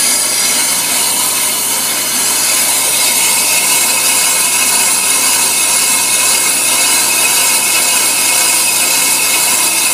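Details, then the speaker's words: Ammco brake lathe, speed raised for demonstration, cut removing the glazed finish from a brake drum: steady high-pitched hiss and scrape as the bit shaves the spinning drum, even and unbroken; clean normal cut. "happening is that bit is cutting off the uh the drum and we're taking off that bad glaze finish this way your brake FES are going to make a good stop every time"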